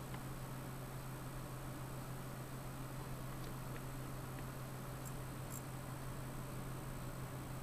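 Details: Bestec ATX-250-12E computer power supply plugged in: steady low electrical buzz, fan won't spin when green and black wires are shorted; blown capacitors, 5V standby rail overvolted to about 6V, unit won't turn on.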